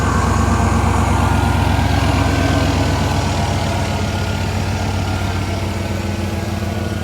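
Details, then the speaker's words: 1995 Ford F-150 that reportedly didn't run, now started with the computer plugged back in and little to no coolant: smooth, even idle with a steady low rumble, no misses or knocks; normal idle. "It runs great. We can't let it run for long because it has little to no coolant, so we need to change that sensor. Listen to that. Oh my God, she sounds good."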